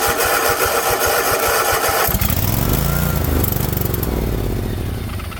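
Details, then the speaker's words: 50-inch Cub Cadet zero turn that sat a while cranks unevenly, catches on carb cleaner/starter spray, then fades out: the battery-powered fuel shut-off solenoid at the carburetor isn't getting 12 volts, so no fuel reaches the carb. "It'll crank and start up and sound like it's going on carb cleaner, but then it won't continue running unless you have the solenoid opened up so that fuel gets down into the carburetor."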